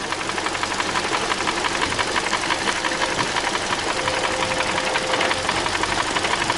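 Sharp, light ticking about three times a second over a steady idle, sitting above the engine note; the source is not pinned down.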